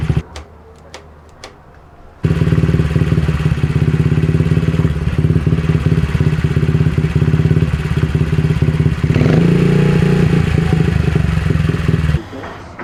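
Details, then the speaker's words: Honda CRF50 after replacing the bent, damaged throttle cable and carb spring that caused a pulsing, rising idle: single-cylinder thumper idles steadily about ten seconds, even beat, no hunting or surging; fix confirmed. "Oh yeah, that fixed it."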